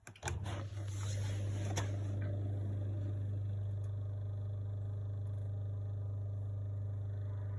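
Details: Miele appliance after start-up: steady low hum with a faint buzz, no knocking or grinding; an odd running noise, cause not pinned down.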